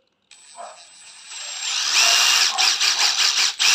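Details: Used 18V brushless cordless impact driver (DT13-type) tested unloaded: thin high whine climbing with the trigger, then fast even hammering rattle, speed control and brake work; normal impact driver run.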